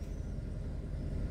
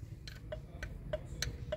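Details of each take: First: Warm Kia Cerato 1.6 automatic in reverse after a new disc was fitted to cure an under-hood knock that wasn't the engine: steady low hum, knock gone. Normal running in reverse. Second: Kia Cerato 1.6 automatic, in reverse/drive under transmission load: sharp metallic ticks about three per second over quiet engine hum, seeming to come from cylinders 3–4 but actually a flexplate cracked around a bolt; cracked flexplate knock.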